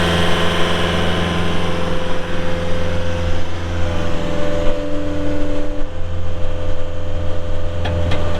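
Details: 2022 Caterpillar 262D3 skid steer, 2,782 hours: steady low diesel drone at idle with even firing, no knocks, ticks or grinding; engine healthy.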